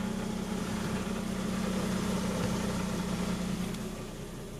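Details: Mazda RX-8 rotary, first start after engine rebuild: smooth, even idle with steady low hum, no misses or rattles, settling down; normal idle.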